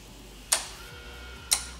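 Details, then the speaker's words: Truck converted to electric with electric AC compressor, AC button pressed: two sharp contactor clicks over near silence, no compressor hum; compressor not starting, command wire not yet energized. "I heard a click. I don't hear the pump though. I heard a click."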